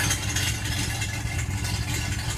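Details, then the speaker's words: V8 with low, uneven, loping idle barely staying lit, very weak vacuum, horrible misfire and poor oil pressure; leak-down test planned before pulling heads or doing a ring job. "runs like total ass like runs terribly no vacuum at all like the vacuum signal is so weak this is a horrible misfire"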